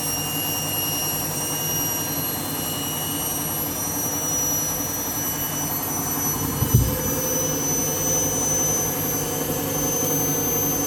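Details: Washing machine on empty rinse cycle, final spin: loud steady jet-like roar with high whistling edge; drum bearings suspected to be going, not confirmed.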